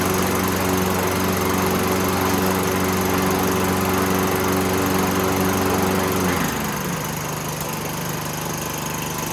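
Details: Toro 6.5 hp Recycler push mower, roadside find, fuel tank cleaned and refuelled: runs smooth and even at speed, then settles to lower steady note without missing; healthy running.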